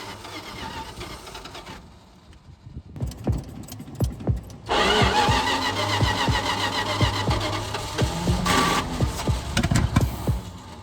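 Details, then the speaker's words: 1976 Dodge D600 with a 360 engine, revived after sitting 21 years, cranking with sharp irregular pops and bangs and half-catching then stumbling. Distributor reinstalled repeatedly at top dead center; they suspect the wrong side of TDC. Backfiring from wrong ignition timing. "Now, everything tells us that we're on the wrong side of top dead center. We have stabbed this damn thing with the compression multiple times."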